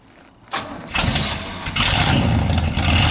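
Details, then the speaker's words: 1976 Chevy square-body big-block 4x4, lukewarm start, heard from the exhaust end: quick crank, then it catches and settles into a strong, even rumble and has stopped smoking. A clean, healthy start, though a small exhaust leak remains. "I'd say that's a pretty good lukewarm start. Heck, that's a cold hot start."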